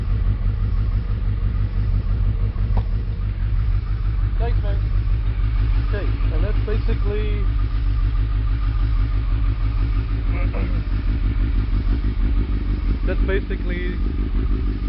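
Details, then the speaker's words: Suzuki Hayabusa after spark plug replacement, cold start with choke pushed in: steady even idle just over 1000 rpm, smooth with no misses or ticks; engine sounds much better after new plugs. "that's basically cold start and I push the and the chokes right in so that's just over a th000 RPM and that's good to go"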